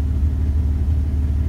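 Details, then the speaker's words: 2001 Dodge Ram 1500 5.2L V8 after MAP sensor replacement for P0107 surge: deep, steady idle rumble with no dips or surges, MAP reading about 10.6. "so we see a difference vehicle is sounding a lot better damn sensor"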